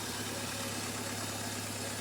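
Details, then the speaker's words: 2011 Ford Ecosport, Zetec Rocam 1.6, which was misfiring with no current to coil towers 2 and 3: after adding grounding to those towers it idles steady and even with no vibration or misses. "agora não vibra mais o motor não tem mais aquela vibração não tem mais nenhum falhamento"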